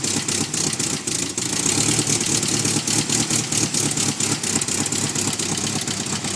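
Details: 1990 Nissan 240SX with KA24E engine: runs unevenly with irregular stumbles and constant misfires, then is revved on request.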